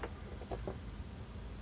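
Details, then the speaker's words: Sony PS-LX300USB turntable motor right after one drop of oil (it had been atrociously loud): now only a faint steady low hum with a couple of light ticks, no squeal or grind; quiet, smooth run. "let's give it a drop of oil see if that changes anything okay here we go drop of oil listen to that it's silent now one drop of oil listen look at that"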